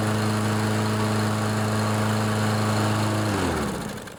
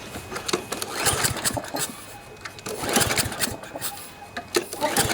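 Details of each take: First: Briggs & Stratton 7.25 163cc OHV EX engine on a Toro push mower after head gasket replacement: steady, even single-cylinder drone with no misses or puffing, then shuts off and coasts down; runs healthy. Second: Toro push mower with Briggs & Stratton 7.25 163cc OHV EX engine, cranked by pull cord with the spark plug cap off: puffing hiss on each stroke, suspected blown head gasket though it runs perfectly.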